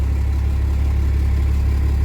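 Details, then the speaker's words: Diesel truck ("Otis") started after sitting about a week: deep, even diesel clatter at a steady low idle, rpm rising to about 750 by itself, with no misses or knocks. Normal idle. "It's been about a week. RPMs will come up to about 750 by themselves."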